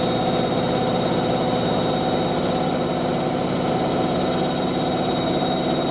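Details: Hotpoint 9530 Electronic 1000 Plus washer spinning a large towel load after a boilwash: steady even whirr at full spin speed, no thumping, knocking or surging; drum balanced and spinning smoothly.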